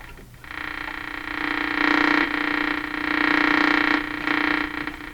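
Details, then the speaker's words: Philco Model 42-322 tube radio during alignment, tuned on the broadcast band with only one wire connected to ground as antenna: low croaking buzz swelling and fading every second or so, no clear station; improper antenna connection. "one wire not enough okay so of course one wire connected to ground yeah that's not going to work"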